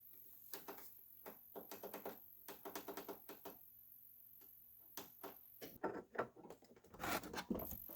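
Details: Old TV that stopped powering on: fast, uneven ticking over faint electrical hum from the power supply cycling on failed capacitors, fixed by replacing them with salvaged ones.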